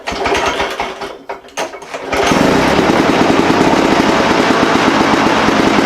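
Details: Lawn Boy push mower with intermittent no-spark, after cleaning coil and mounting bracket and taping plug wire: after a pull start on the ground the engine catches and holds a steady, even buzz without stumbling; running normally.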